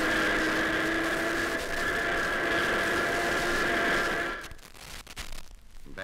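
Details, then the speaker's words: Steady high whine over the engine under acceleration that then drops away; a badly worn first gear, heard best when accelerating. "that's a badly worn first gear that can be heard best as you accelerate"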